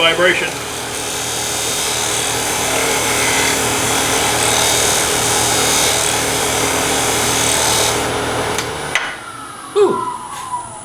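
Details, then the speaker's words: Wood lathe, bowl scraper on a bowl interior, second pass after a chattering cut: about nine seconds of steady rough rasping with faint chatter. The chatter comes from earlier tool marks still in the wood being cut away. "sometimes you hear the vibration a second time it's the marks on the wood that are still there you've got to cut them away"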